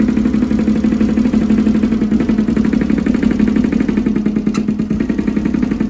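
Uneven, stumbling idle with a lumpy beat about three times a second, one cylinder dropping out irregularly, a misfire on one side. Cause suspected, not confirmed.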